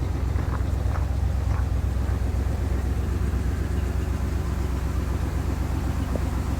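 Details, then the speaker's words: 1970 Cadillac DeVille convertible at idle with exhaust rusted off at the back, ahead of one of the mufflers: steady loud low unmuffled burble about four pulses a second; exhaust leak ahead of muffler. "exhaust, it is rusted off at the back, so in front of one of the mufflers, the"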